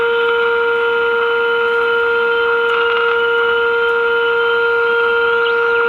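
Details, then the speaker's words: Early-1950s GE Model 607 tube portable radio on the bench during alignment after tuning capacitor adjustment: loud constant fixed-pitch whistle with fainter overtones; the set breaks into oscillation. "and that's it all right and of course as soon as I turn the camera on it's going to start oscillating"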